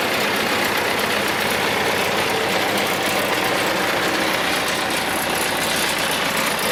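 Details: Newly bought used tractor with engine trouble and no hydraulic pump, recorded on camera microphone; uneven idle with irregular stumble about every half second and hissy, breathy exhaust, a definite miss.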